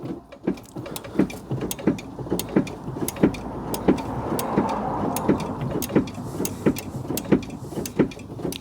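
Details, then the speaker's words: Smart ForTwo 451 offside rear drum brake after replacing the failed self-adjuster: crisp, even clicks about every two-thirds of a second while the pedal is pumped, as the adjuster ratchets properly; normal operation. "Can you hear it? I can hear it clicking. So what are we doing? Calibrating it at the moment? Just making, yeah, basically. Yeah, making sure it works."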